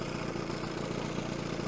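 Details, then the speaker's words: 1970 Evinrude 25HP outboard after condenser change: steady, even low idle with soft regular putter, idling way down on the throttle handle without relying on the idle screw; smoke much better, may still run a bit rich. "i thought that wasn't too bad though it does sound pretty good it's actually hiding quite idling quite nicely smoke is a lot better than it was so and actually it's idling way down"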